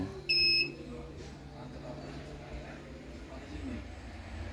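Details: 12V-to-220V inverter converted from a UPS, running a 50 W lamp: two short shrill beeps about four seconds apart over quiet background, the low-voltage alarm after input sagged from 12 to about 10 V on undersized cable.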